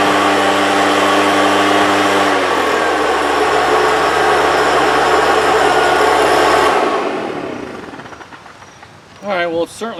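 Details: 1998 STIHL BR320 leaf blower, about 24 years old: full-throttle scream sags partway, never recovers, then dies away; it slowly reaches full speed and gradually slows while held open; power loss from a dirty carburetor.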